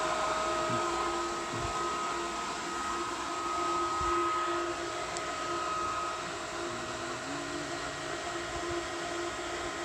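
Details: Variable-speed pool pump starting up, priming likely at its highest rpm and slowing itself once it finds water. Constant high-speed whir with faint steady tones, no surging or rattles; normal priming at high speed.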